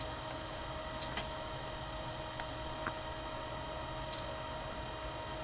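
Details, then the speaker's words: Old 120 MB SCSI hard drive, revived after a day in the freezer, being imaged sector by sector via ZuluSCSI: sparse irregular clicks over spinning hum and fan as the heads retry a bad sector. "That clicking noise minus the fan. Uh-oh. Hit a bad sector there."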